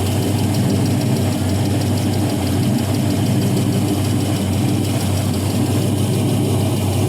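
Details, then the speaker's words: 5.3L LM7 Gen 3 LS from a 2001 Silverado, 151k miles, iron block, 862 heads, LS1 cam, new starter and water pump, on a test stand. Smooth, even warm V8 idle; power steering and lifters quiet, no ticking; healthy. "See, the power steering's nice and quiet. Lifters are nice and quiet."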